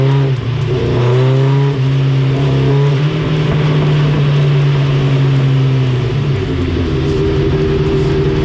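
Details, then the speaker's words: Dyno pull on a 1987 Suzuki GSX-R 1100 carbureted four after carb cleaning and rejetting: steady deep exhaust tone climbing evenly with no stumbles; last run smooth, earlier run choppy, air/fuel good. "did you hear how the last run was smooth it was good yeah good and the other run before that it was just kind of Chucky but good impact the air/fuel grapples good"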